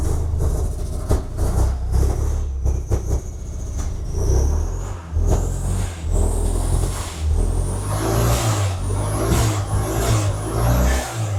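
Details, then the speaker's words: 1987 VW Golf Mk1 Turbo GTI first running after a fuel pump swap: rough, lumpy revving with a sharp airy chuff and a rising whistle. Owner suspects a big air/exhaust leak behind the turbo, maybe the manifold or something loose. "Oh! Still sounds it's got an air leak, but we got running. It's running. Sounds like there's a freaking leak somewhere though."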